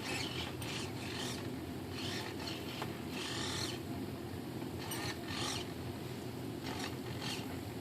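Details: Arcus M retractable motor system after maiden flight failed to retract: repeated rasping, grinding bursts of about a second as the mechanism strains and stops short of fully up; owner suspects a weak or dead battery, not confirmed.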